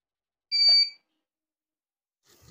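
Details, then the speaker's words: Used UPS converted to power inverter on a 12 V 60 Ah battery: one short shrill half-second beep, the UPS buzzer alarm while running on battery; buzzer later removed as annoying. ", dit blyk die alarmklank is nogal steurend"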